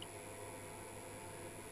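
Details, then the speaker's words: E-bike battery charger running from a campervan lithium-ion leisure battery through a modified sine wave inverter: quiet steady electrical buzz with low hum and faint high whine; charger buzz from the modified sine wave inverter. "only real night notes i've heard from modified and pure sine wave inverter is that the battery charges are a bit noisier so you might hear if you listen hear it buzzing away"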